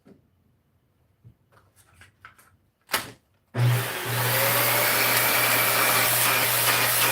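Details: Monroe vacuum after the bin was washed and the unit taken apart and cleaned, with a brand new filter fitted. After some handling clatter, the motor spins up to a smooth, steady hum with even airflow; healthy and ready.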